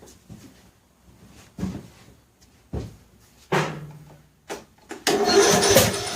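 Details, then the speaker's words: John Deere L100 lawn tractor engine, cranking on two jumper packs: slow laboured short bursts with sharp pops back through intake and air cleaner, never catches; owner suspects tight intake valve, though valves later looked about right. "I think we got to look at the valves. I think with all the firing out the intake, we got maybe a tight intake valve."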